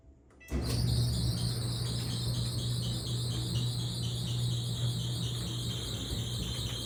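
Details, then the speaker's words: Whirlpool/Maytag Bravos dryer running with a loud, high wavering squeal over deep drum rumble, caused by lint built up in the blower housing. "Now, the issue was basically too much lint has built up into the blower housing. So, that's what the issue was with this dryer."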